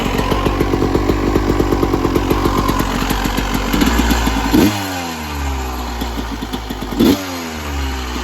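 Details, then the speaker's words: 1996 Yamaha YZ250 two-stroke after carb tune-up for rough low-end idle (pilot jet suspected), restarted after coolant top-up, still a little cold at about 13 degrees: crisp even idle and two clean throttle blips rising and falling freely; healthy. "Already sounds good. Still a little cold. It is about like 13 degrees out right now, so it's a little chilly right now."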